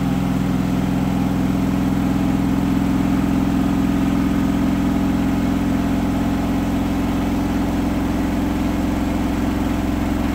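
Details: Hotpoint washing machine final spin at up to 1400rpm after a rolling bath sheet fooled the balancing and was thrown to one side: deep droning hum with a steady throbbing beat, load out of balance.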